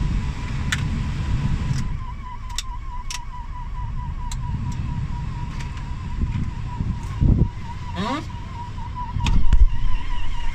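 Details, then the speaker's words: 1998 Toyota 4Runner V6 at idle: steady high whine near 1 kHz over the engine rumble, unaffected by steering; AC compressor, water pump and power steering were suspected, stops after restarting, source unknown. "Sounds pretty horrible."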